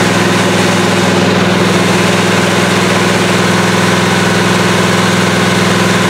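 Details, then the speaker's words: 1977 Malibu V8 during cam break-in after start-up; fast, even high idle with a smooth, steady beat and no knocks or ticks; engine sounds healthy. "Obviously, this car does start and run. It actually doesn't sound bad."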